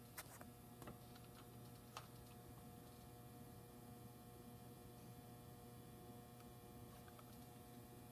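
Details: Robbins & Myers ceiling fan on medium speed. A quiet, even hum with sharp clicks at irregular gaps, roughly one a second, cause unknown; a separate buzzing is assumed to come from the lights.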